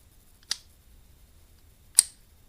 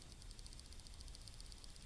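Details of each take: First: Shimano Cardiff 401 left-handed baitcasting reel clutch: two crisp, firm clicks about a second and a half apart, not too loud, about half an inch of travel; positive, normal clutch engagement. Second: Shimano Cardiff 400/401 baitcasting reel: a light, fast, even clicking, about ten a second, as the handle turns, from a worn internal bearing. The reel still casts and works smoothly, so it is not a functional problem.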